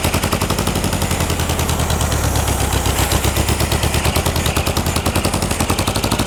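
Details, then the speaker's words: 1960s air-cooled VW dune buggy revived after 10+ years, fuel fed by hand: choppy, surging exhaust pulses that won't settle into a steady idle; idle adjustment may be needed, timing suspected slightly off; rough idle. "does not want to idle. Might have to do a little bit of an idle adjustment there."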